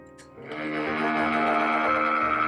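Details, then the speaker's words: Hawaiian Breeze oscillating tower fan, about half a year old, suddenly began a loud steady buzz with ringing tones at switch-on and stopped oscillating; jiggling it stops the sound, cause unknown. Loud noise on switch-on. "something happened to it and all of a sudden it started doing this when you turn it on"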